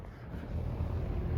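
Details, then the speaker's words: 1987/1988 Lakewood P-223 fan motor, warm after about an hour of running, following a degreasing fix for long-standing oil problems: steady low hum with a smooth, even whir, no knocking or scraping. It isn't leaking oil and sounds the same as before, so it is running normally. "the motor is not leaking oil the sounds about the same"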